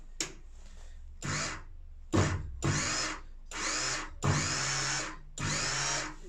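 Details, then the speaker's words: Sip Migmate Handy gasless MIG welder, plugged in with the gun triggered to demo wire feed: six short pulls, each a steady, even motor whir starting and stopping cleanly with no stutter; wire feed sounds healthy, though the feed speed later slows and stops while welding. "i can plug it in and show you it feeding the wire just so you can see what it's like"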